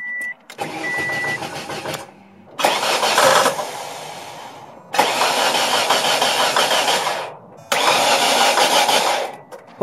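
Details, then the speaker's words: Ford Escort started for the first time in almost two years after a new battery: warning chimes, then short starts that run harshly clattering and cut out; knocking first thought rod knock, explained as oil-starved variable valve timing before oil pressure builds. "something strange like knocking sound coming from the engine I actually end up being the car running only for a few seconds and I heard a really really bad knocking sound now initially I thought it was a rod knock"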